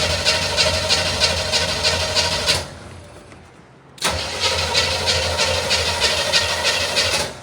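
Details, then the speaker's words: 1975 Chevrolet Monza with 350 V8 after fuel system work: two bursts of steady starter cranking, about three turns a second, with no firing; cranks but won't start because the carburetor float bowls have no fuel. "no fuel in the bowls. Let me get some fuel in the bowls."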